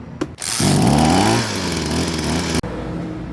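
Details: Small petrol engine on a high-pressure water sprayer after carburetor main jet cleaning (clogged by stale fuel, previously surging and stalling on throttle): revs up quickly, pitch climbs smoothly, normal revving.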